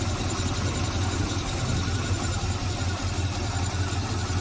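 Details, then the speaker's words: 1972 Jaguar XJ6 with Chevy 350 V8 conversion (Interjag), cold start after sitting three days: deep, steady burble at cold idle with an even low pulse, no knocks or ticks; normal and healthy. "Cold start, it is running now. It's been about 3 days since I started it up, so here we go."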